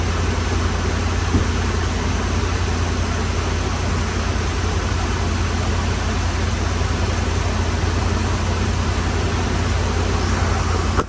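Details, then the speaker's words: 2013 RAM 1500 5.7 HEMI V8 after replacing damaged pushrods and rocker arm assemblies that were installed wrongly after a cam and lifter job: steady, even idle, ticking gone. "Oh yeah, that sounds a lot better. Alright guys, it sounds good now."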